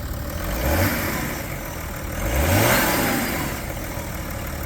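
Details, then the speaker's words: 2010 BMW 335d diesel, tuned with emissions devices removed, cold start, recorded at the engine bay: two clean rev blips over even diesel clatter, no knocking or rattles; sounds healthy. "that sounds pretty good"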